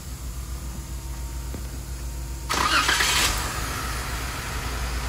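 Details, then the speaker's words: Car with an active fuel leak and strong gas smell: engine catches and settles into a slightly uneven idle with occasional stumbles. Lost fuel pressure is the suspected cause; injector pulse sounds good. "So she's losing fuel pressure. And that's what's most likely causing it to skip."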